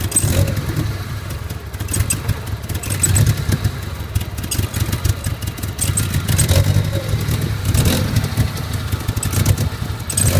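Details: Nissan 200SX 1.8 turbo two weeks after an engine rebuild. It idles with an uneven, lumpy beat, then rises and falls through several quick throttle blips, running rough at idle.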